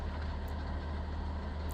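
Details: Suzuki Mehran that had an up-and-down idle RPM, checked with a scanner after the fix: low, steady rumble at an even level with no misses, surges or knocks; normal smooth idle.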